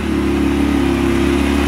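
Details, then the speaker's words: Yamaha YXZ1000R first started after a Flash Tune ECU flash: a strong, smooth, even engine drone with no misses or knocks, running clean and healthy. "listen to the power the power sounds good let's take it for a rip"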